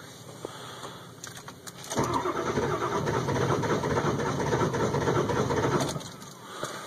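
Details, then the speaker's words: 2002 Ford F350 7.3 Powerstroke diesel cold start at about 34°F, glow plugs warmed two to three minutes, new glow plug relays: long steady cranking that never fires, hard start daily, nearly 8 minutes of trying; extended crank, no start. "again it's just not wanting to start this is everyday stuff"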